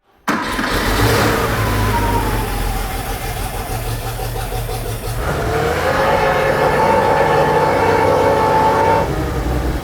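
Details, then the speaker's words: Classic 1980s Porsche flat-six barn find unused 16 years, throttle operated by hand at the engine after a disconnected pedal: revs lumpy and uneven with beats dropping out; a few cylinders missing, fuel system suspected. "is that all cylinders firing not quite not quite there's a few missing it's a little bit Missy"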